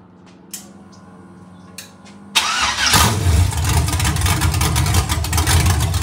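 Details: Iron 5.3 LS LM7 V8, believed 2002–2003, likely BTR Stage 2 truck cam (212/218, about 9° overlap), on a run stand with open headers; quick start, lumpy idle whose lope vanishes with any rpm, healthy and not very loud.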